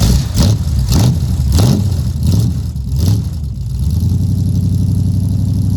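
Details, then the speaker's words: Cold start with no choke of a 383 V8 El Camino on new glass-pack exhaust with headers: several quick throttle blips, deep burbling exhaust, then an even, lumpy idle; sounds healthy, normal cold start and idle. "I know some people aren't a big fan of the glass pack sound, and I will say it really depends on the engine whether I prefer the Flowmaster sound or the glass packs."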